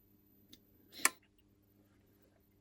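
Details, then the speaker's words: Sonnen Macht TL36K solar inverter with error 17 relay and error 10 earth leakage, board live at 227 V: quiet mains hum, one sharp relay click with fainter ticks as it tries to start; main relay suspected, not confirmed. "these relays here seem to be clicking but it's once this one goes is what we want to see"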